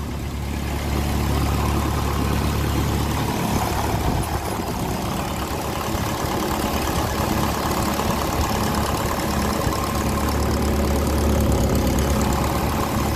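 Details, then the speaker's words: 1954 Ferguson 20 TEF diesel tractor, first run after cooling system work: low steady idle that falters now and then as trapped air in the fuel works through to the injectors. Idle stumble from air in fuel. "Definitely air in the system, you can hear it there. A little bit of air, but we'll let it make its way to the injector."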